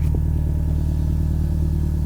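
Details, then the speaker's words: Toyota GT4 cold idle before warm-up, microphone near the car: steady, even low exhaust rumble with no whine or buzz from the fuel pump, which owner says is otherwise very loud; normal cold idle. "Right, so at the minute, all you should hear is that exhaust."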